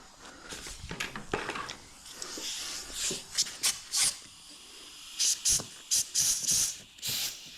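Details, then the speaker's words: Rebuilt 1968 Ford C6 automatic transmission on the bench, air check of a clutch drum with front pump and shim fitted: sharp bursts of compressed air hiss as the piston applies, no steady leak between; drum holds air, check passed. "so I got my pump sitting here I got my one prone shim and put right there uh this guy right there now I should be able to do a air check"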